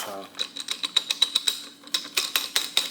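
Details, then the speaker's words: Jeep CV driveshaft: sharp gritty clicks about four per second as the joint is flexed by hand; dry, worn CV joint to be replaced. "it's bad it's not supposed to sound like that and and this is the part we're changing"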